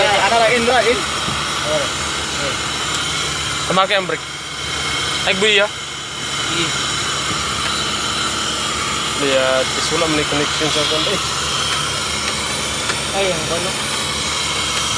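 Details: Suzuki Carry DA64W wagon, following a crank-no-start fix: small petrol engine idling steadily with no misfire or knock, outdoor chirping in background; smooth, even normal idle.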